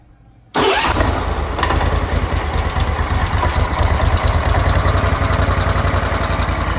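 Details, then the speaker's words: Briggs Vanguard repower in a Kawasaki Mule, first start after the reversed fuel-pump lines were corrected and it was rechoked: a quick catch, then a smooth, steady low putter that settles right away; very quiet, with unknown noises the owner guesses come from the clutch. "I don't know what those noises are. I guess that's in the clutch. It's super quiet, I'll tell you that."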